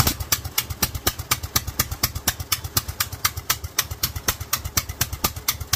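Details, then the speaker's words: Kohler single-cylinder engine with a Honda GX390-type carburetor on a 3D-printed intake, test run with the meth-level jet kit up to 2000+ rpm: an uneven, blubbery thumping and pitch-black smoke; running far too rich. "well that pitch black smoke tells me that she is running way too rich so meth level kit was too much"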